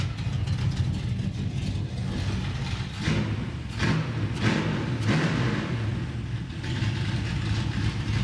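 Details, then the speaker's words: Roadkill carbureted car: loud engine idling roughly with several uneven throttle blips; stumbles under load, better as it warms but still present; cause unconfirmed. "does it under load the warmer it gets the better it is but it still does it huh"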